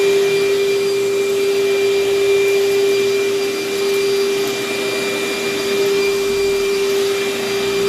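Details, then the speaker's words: Vacuum with good belt tension, minimal hair tangles, paper bag about a third full: smooth constant motor hum, clean steady pitch, even airflow, no rattles or surging; suction solid, running normally. "yes this thing works very very well the suction is solid on it"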